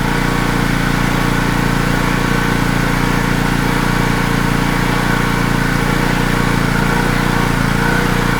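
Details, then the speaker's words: Wacker Neuson GP2500 2500W generator, Honda GX160 engine, hard to start, reportedly ran only on starting fluid: steady, fairly even chug about three beats a second, running only on half choke; fuel starvation suspected, not confirmed. "Right now seems to be running at half."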